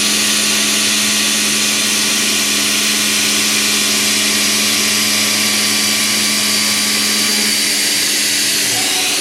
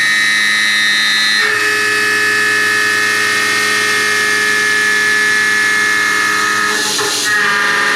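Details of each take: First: End mill held far out in a heat-shrink holder: a steady, high cutting hiss with an even tone and no squeal or chatter despite the long stickout. It cuts as well as a short, fully chucked end mill. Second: Roughing a pocket with a 1/2 in high-feed cutter on an extension (long overhang), 0.050 in depth cuts with a large stepover: a loud, steady high-pitched squeal with a ringing undertone. End mill chatter, meaning vibration.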